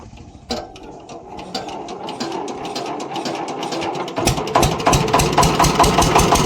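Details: Kirloskar air-cooled diesel (10 kVA generator / concrete mixer engine), first start after full assembly and bleeding air from the injectors: catches after a few cranks and settles into a steady, even beat with no knocking or misses; healthy.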